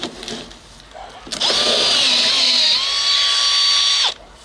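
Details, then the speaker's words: Makita XPH07 18V brushless drill, 1.5Ah aftermarket battery, 1-inch three-flute auger through solid 4x4: high whine under heavy load sags midway as the battery runs down and gets hot, protection kicking in. "so it sounds like we're wearing Down star protection kicked [Music] in so my battery must be getting hot this is a lot of work out of a drill"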